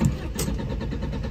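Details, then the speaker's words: Alfa Romeo 145 stranded after hitting a speed bump; inertia fuel cut-off switch under passenger seat pushed to reset, but starter churns the engine at an even cranking rhythm and it never fires: crank, no start. "turns and churns and churns it should just fire into me"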